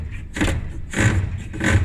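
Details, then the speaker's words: Maytag dryer disassembled, blower fan turned by hand: three scraping rubs as the fan hits the bottom of its housing; owner suspects loose or dislodged motor or fan. "but you can see it's actually hitting the bottom of the canister there at the bottom here"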